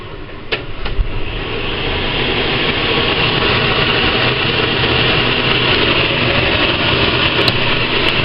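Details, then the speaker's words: Robinson CR9SS range hood fan after cleaning grease from the fan shroud with turpentine; spins up into a smooth, even rushing hum with no rattle or scraping. Earlier twig-in-a-fan noise gone, totally quiet, slight performance increase. "totally quiet not bad"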